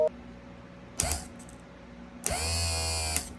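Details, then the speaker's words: Repaired tilt and trim motor from a 1989 Astroglass bass boat with 150HP Mercury Black Max XR4, previously seized by water intrusion and rust, now spins with steady, even whir both directions; no binding, working normally. "And it goes the other way too. And it's spinning good. So we should be back in business."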